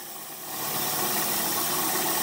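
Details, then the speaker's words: 2011 Chevy Cruze 1.4L turbo with code P0171: loud steady hiss over a rough idle from a torn PCV vacuum diaphragm in the valve cover. Runs smoother when the leak is covered; fix is replacing the valve cover. "I got my engine running I don't know if you could hear the hissing do that if I close it up planes and run lot smoother when I open it up it's becoming it's starting to run very rough"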